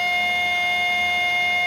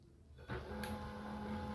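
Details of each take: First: HP LaserJet 1020 laser printer just powered on: a steady, piercing high whine from inside the printer that keeps going and sometimes stops on its own. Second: HP LaserJet 1020 after the grinding noise fix, scanner noise sorted out: soft, steady mechanical hum with an even tone after power-up and no grinding or rattling; operating smoothly.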